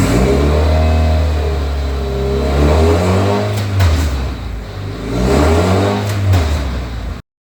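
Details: Toyota Celica GT-Four ST185 with freshly assembled 5SGTE Beams engine, first start with healthy oil pressure: two smooth rev blips with steady idle between, no knocks or rattles; normal revving.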